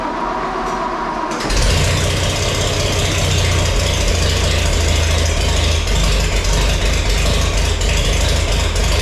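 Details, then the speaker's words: Farmall 460 tractor, rebuilt engine, first start after fitting electronic ignition: quiet, then catches at about 1.5 s into a steady, even idle with no misses; sounds nice, slightly slow throttle response. "but if you don't gouge on it, it's it's pretty good and it sounds really nice."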